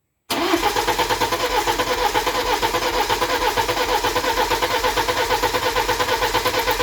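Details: BMW E91 320d first start after high-pressure pump failure, with the pump and injectors replaced, fuel system flushed and de-aired, and adaptations reset. It catches straight away into a steady, even diesel idle with no hunting or knocking.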